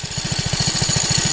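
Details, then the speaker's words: 1969 Taco minibike with original centrifugal clutch, riding downhill off the throttle: quick thumping engine beats with a thin high metallic bell-like ring over them; owner suspects the failing clutch, which also bogs the engine and loses power. "when I let go of the gas and I'm going downhill or something and then the clutch starts making this Bell noise"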